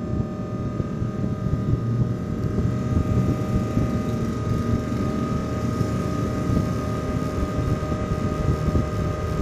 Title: Another Loud Noise In Laptop Cpu Fan While In Roblox Play